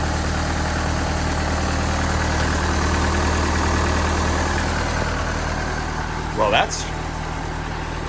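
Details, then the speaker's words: 1986 Dodge Daytona Turbo Z Shelby after an engine build, just after the idle screw was turned up: a steady, smooth, low idle with no misses. Normal idle, though a loose cylinder 2 plug was found and it is smoking. "darn smooth right there OHP we've also got a loose plug here cylinder number two it looks like she's sitting there running pretty solid right now real smooth"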